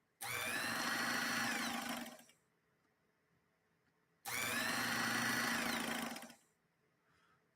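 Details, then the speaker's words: Vintage sewing machine motor in basic operation; two bursts of steady high-pitched whirr spinning up and coasting down; motor gives off a strong burning odor as if about to catch fire, poor motor assembly suspected. "there's a number of things going on with it and like I said even with basic operation it's generating an odor that sounds like it's about to burst into flames"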